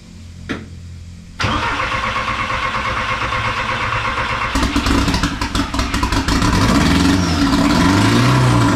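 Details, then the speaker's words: Porsche 944 with 1.8T engine swap, first start after about a year and a half of work, temporary wiring and no exhaust fitted: cranks briefly, catches, runs loud and raw with an open, choppy bark settling into steady idle. "just to hear a run just for two seconds that's all I wanted I mean as long as it's a few seconds it's just beautiful probably the most beautiful sound I heard in a long time"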